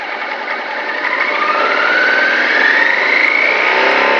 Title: bruit moteur @T